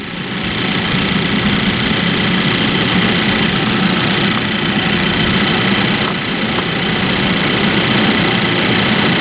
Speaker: As you can hear, the belt is nice and quiet. I've got the air conditioning running and I've got all the accessories turned on.